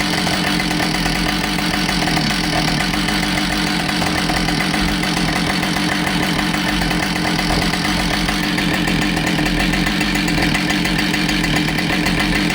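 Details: Husqvarna 572XPG chainsaw that had been run over, test run after repair with a new bar and a replaced heated handle, checking for vibration: constant buzzing two-stroke note with no surging, sputtering or rattling; it runs smoothly.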